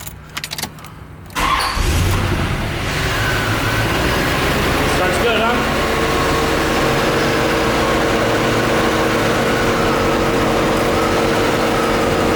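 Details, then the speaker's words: Chevrolet Corvette C4, spark ruled out and injectors swapped yet cylinder number one still misfiring; engine cranks briefly, catches and settles into an uneven idle with a recurring stumble, misfire at idle. "eliminated the fuel injectors because I swapped them and still number one is misfiring"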